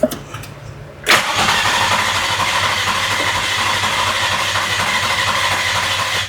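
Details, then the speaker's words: Nissan G35 with a freshly swapped, refreshed JDM VQ35 engine after the starter was plugged in. A steady, fast starter whir for about five seconds after fuel pump priming, never catching. Crank, no start; the crew suspects no spark, unconfirmed. "like it's not getting spark let's go ahead and go get the yeah let's go do that yeah well we solved one problem"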